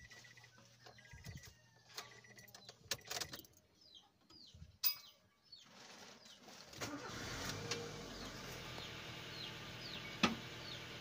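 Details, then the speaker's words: Nissan engine after repair: bearing repacked and cam belt reset (flipped); cranks, catches and settles into quiet even idle with no knocking, ticking or squeal; earlier noise gone. "ayan guys, hindi na siya tumunog."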